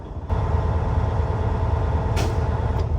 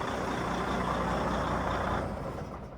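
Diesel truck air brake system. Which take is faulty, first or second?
second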